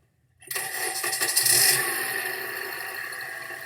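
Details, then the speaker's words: Used Honda bought online, no-warranty "red light" sale: quick catch and start, then smooth even idle with no knocks or misses; engine sounds healthy. "That's not bad. That's smooth as."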